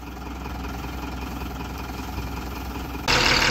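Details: Tata 2518 BS4 tipper came in knocking, tractor-like noise and smoking; after the No. 4 injector was fitted the knock stopped: steady, even diesel idle with no knock, the note swelling briefly near the end, normal idle.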